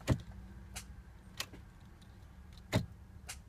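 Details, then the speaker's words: 2009 Audi A4 Quattro after small accident; on start attempt, loud sharp single clicks about every half second to second from near the engine with no cranking; crash switch-off sensor (part 8J0915459) behind battery needs replacing or bypassing. "and this is what I'm getting when I try to start it it does this loud clicking noise bass somewhere by the engine"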